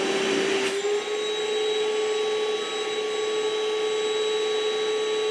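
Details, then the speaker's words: Ryobi ONE+ 18V cordless 1-gallon wet/dry shop vacuum during water lift test, inlet sealed, just under 40 inches of water lift: steady high-pitched whine holding one even pitch. Motor running strong and healthy. "you can hear that it sounds it's quieter than your normal shot back but it's it's not a quiet machine it's it's a powerful little unit so it's not quiet"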